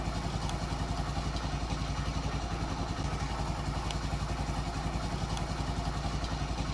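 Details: Daelim Citi Ace 100 (CA100) motorcycle single at a steady, even idle with no misses or knocking, on the start test after replacing a missing engine gasket that had been leaking oil; the engine runs cleanly.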